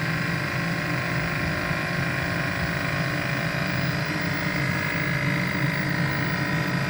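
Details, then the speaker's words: First-gen Kia Soul EV heat pump, heard outside at the front during repair diagnosis: steady even hum with low drone and faint hiss, no knocking or rattle; heat pump compressor running normally and warming. "so if you can hear that that's a heat pump compressor"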